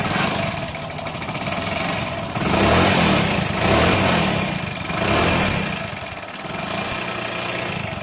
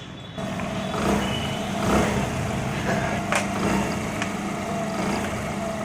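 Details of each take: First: Hero Honda Splendor Plus single-cylinder before a half-engine (top-end) rebuild runs unevenly with a rough, rattly rumble that surges and sags and smokes heavily; worn top end burning oil. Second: Hero Honda Splendor Plus after a half-engine (top-end) rebuild runs and picks up cleanly with a steady exhaust note, no knocks or rattles, and no smoke where it smoked heavily before; normal running.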